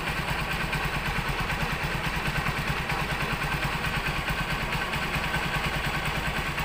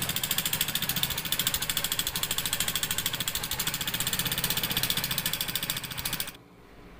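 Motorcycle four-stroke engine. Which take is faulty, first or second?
second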